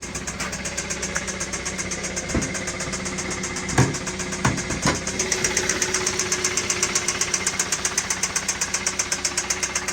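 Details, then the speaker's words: 2017 Kia Optima 2.4L petrol engine idling with a steady rapid metallic clanking knock: rod knock. "I'm underneath a 2017 Kia Optima you may have heard the uh rattling clanky sound from earlier in the video"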